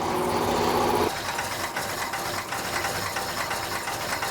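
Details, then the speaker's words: 1972 Plymouth Duster auction racecar V8 idling at about 70 psi oil pressure with very late timing: rapid clattering tap about three beats a second; bottom-end knock suspected, and a rocker touching the dipstick tube was later found. "she's knocking why w't it die that sounded like bottom end noise and combined with Super Late timing that scares me"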